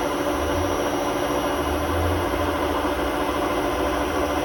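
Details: Hotpoint WMA32 washing machine in its last run on bad drum bearings before replacement; high-speed spin with a deep, uneven rumble and rough hum underneath; worn drum bearing.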